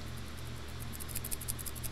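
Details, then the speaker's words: FolgerTech FT-i3 Mega 3D printer build: faint, dry rattle of loose balls inside a linear bearing shaken by hand, a bad bearing, later replaced so the bed moves smoothly. "we have no blue smoke it's safe to touch metal things and oh here's the bad bearing"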